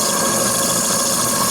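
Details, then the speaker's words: Small RC steam engine (FBI 2), restored boiler, superheater replaced by straight pipe, just over 2 bar after reversing: steady, even steam hiss, no knocks, stumbles or surging; runs well this direction, though a gland is weeping. "Là il va bien là."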